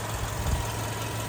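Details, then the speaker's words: 2008 VW Golf 6 1.6 MPI petrol, manual, 178,000 km, imported from Germany from a single first owner: quiet, even idle with a low steady hum, no misfire or lope; starts well cold and hot. Normal idle. "Мотор працює тихо рівно не димить не троїть заводиться гарно як на холодну так і на гарячу"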